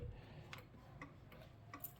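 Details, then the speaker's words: John Deere 650 4x4 diesel tractor hazard lights switched on: soft even clicking about twice a second over faint low hum; hazard flasher ticking normally. "You get your hazards going."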